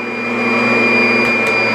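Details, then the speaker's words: Adjustable-height vacuum on carpet, lowered until the beater bar touches, then one more notch: steady high motor whine and even brush drone with no strain, the optimal height setting running normally. "And that right there is your optimal spot for vacuuming the carpet. Doesn't matter if you're using a Kirby or whatever."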